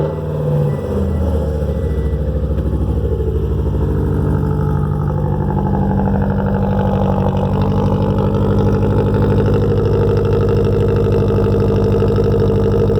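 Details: Subaru boxer engine started after the headers were reinstalled, not run for four days: a deep, even boxer burble settling into a steady, uneven-firing rumble with no knocks or misses. Healthy idle.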